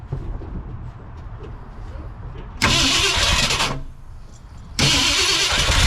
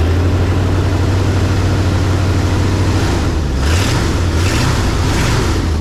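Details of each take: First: 1968 Ford F100 after 4-barrel carburetor conversion and timing chain install: three long cranking bursts a few seconds apart, catching unevenly and fading each time. Hard starting traced to a vacuum leak, a thumb-size hole. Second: 1968 Ford F100 V8, before 4-barrel carb conversion and timing chain work, first start of the day in neutral/park: deep, even rumble with steady low beat, no knocks or misses; normal smooth idle.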